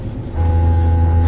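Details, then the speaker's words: 2014–2018 GM truck/SUV driver's seat left cushion haptic motor (off-balance-weight vibrator), repaired after Service Driver Assist System message, DTC B172E/B172F, activated via scan-tool active test; steady low hum switching on, audible and felt; repaired motor working normally. "don't know if you can hear that, but I can hear it and definitely feel it."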